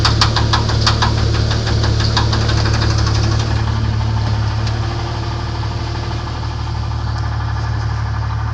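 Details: Internal engine knock on a 1994 Grand, 4-litre engine, at idle: sharp tapping about three per second over a deep steady hum, fading later in the clip; cause not stated.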